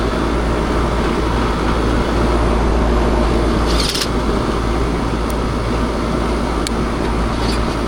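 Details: Package unit air conditioner after replacing a damaged capacitor: steady, even rush of fan and compressor hum with no knocks, rattles or cycling; running normally, expelling house heat outside.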